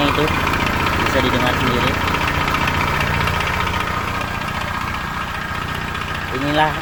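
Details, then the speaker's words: Honda Vario scooter before engine teardown: rough idle with fast steady metallic tick-knock, three to four per second, from internal wear after the radiator coolant ran dry and oil ran very low. "kalau udah pernah kehabisan oli dan apa namanya mengakibatkan mesin jadi bunyinya kasar seperti itu"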